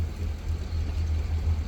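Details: Mercury outboard idling with a deep, even low rumble, smooth pulse, no misses or rattles; after thermostat failure at about 56 hours, thermostat opens around 140, water pressure 1.25–1.5 psi at idle; healthy idle.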